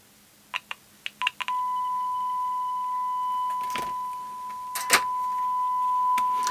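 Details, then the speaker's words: Oric-1 speaker after the fault was dabbed with the iron: steady, clean 1 kHz beep after a few clicks, with no buzz or rattle. The diaphragm had been rattling before the fix. "listen to how much better that note is now I think before as the diaphragm was moving it was just just sort of rattling against that"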